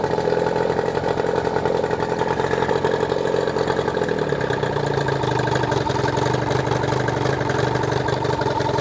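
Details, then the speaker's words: New Hangkai 18hp two-stroke outboard, first run after a year stored, on water muffs in neutral, just started: steady, even burble that drops and settles to a smoother lower idle, no knocks or misses. Normal idle. "The outboard did run after sitting in my garage for a year. That's pretty impressive, especially considering that it fired right up after sitting."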